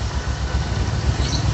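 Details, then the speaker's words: Supra X 125 single-cylinder after repair (damaged cam chain; new cylinder block fitted). Even, low idle putter at a constant speed with no knocks or rattles; sound good, problem likely resolved before reassembly. "Untuk sepeda ini, kualitas suaranya cukup terjaga dengan baik oleh penggunanya. Oke, mungkin itu saja; Suaranya bagus, semuanya baik-baik saja, jadi kemungkinan masalahnya sudah teratasi."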